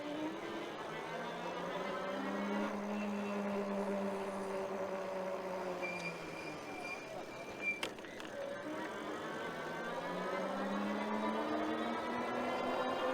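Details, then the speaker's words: ENGWE M20 e-bike riding, hub motor whine rising and falling in pitch with speed over a steady tire hum, with no knocks or grinding. Normal motor and tire sound the rider likes; a separate knocking noise elsewhere is called nothing serious. "and I really really like the noise of this the tires with the motor"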